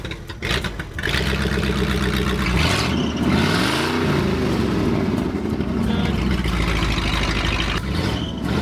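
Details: 1968 Ford F100 Ranger 390 big-block V8, sat for years with water in the tank and a junk mechanical fuel pump; with a third bottle of fuel treatment added and likely some bad gas left, it surges and stumbles with a lumpy, misfiring idle. Cause suspected, not confirmed.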